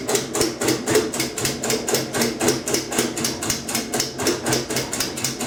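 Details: Kenmore 90 Series washer, model 110.26902691, during rinse cycle only, room lights blink: sharp, regular clicks about four a second; no broken or loose parts found, persists without load. Repetitive clicking, cause not identified.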